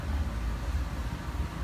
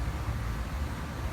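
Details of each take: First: Tandem scroll compressor set being checked for overheating, 14 degrees superheat: this unit's steady low hum with even pumping rhythm building slightly; compressor pumping and running normally. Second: Overheating tandem scroll compressor set, found hot, about 220 degrees by infrared, pressures swinging 30 to 50: deep steady drone surging slowly up and down, sounds like loading and unloading; compressor cycling load and unload.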